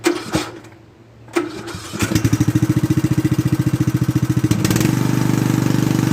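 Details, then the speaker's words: Restored Craftsman T100 riding mower after belt replacement: engine cranks, catches and settles into a steady chug about three to four beats a second, deck spinning smoothly without the earlier marble-like rattle; normal running. "not exactly sure what it happened but the deck actually sounds like it's supposed to"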